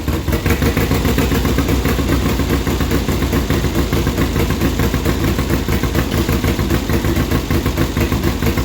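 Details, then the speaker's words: 1972 Triumph Bonneville 650 twin that sat roughly ten years; even after new plugs and sprayed points, a lumpy, uneven idle with a dead gap between firings, running on one cylinder. Dirty points need cleaning. "What side's running? This side's running, this side's not."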